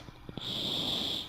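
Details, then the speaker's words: R9 290X graphics card in an FX-6300 PC with an open side panel: steady high-pitched whine around 4 kHz under load, coil whine; foam is fitted inside the case to dampen it. "this is my friends is coil wine coming from the 290x and well it's not 40 but many 290xs have this problem and that's why i've got foam all over my computer to dampen the noise"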